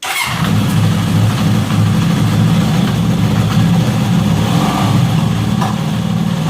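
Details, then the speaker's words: Honda CB750 barn find running for the first time in about 10 years, inside a garage, not revved, after an accelerator pump fix: a loud, uneven, lumpy idle with popping; the carburetors still need adjusting and running in. "popping a little bit and stuff. Yeah, I got a little bit of work to do to it, as you can tell, but she's trying."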